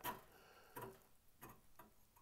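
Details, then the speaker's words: NABU computer cooling fan turned by hand: sparse dry ticks and scrapes, about one per blade, as every blade edge catches on the fan housing. A common flaw of this fan; the fix is filing down the blade edges. "it's definitely sticking as I rotate it perfect sticking on is every blade"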